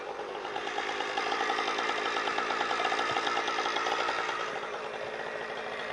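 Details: Husqvarna 455 Rancher two-stroke chainsaw under cutting load, running Husqvarna premix after owner's own 50:1 mix was dumped. High buzz sags and never climbs, bogging gutless; new spark plug and air filter off made no difference, cause still unconfirmed.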